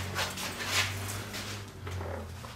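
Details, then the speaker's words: MIG welding with the same wire feed after lowering voltage to 27 volts: steady crackling spray-transfer hiss breaks into uneven pops as it slips partly into short-circuit transfer. "it started out and spray transfer and then it was like it short circuiting a little bit"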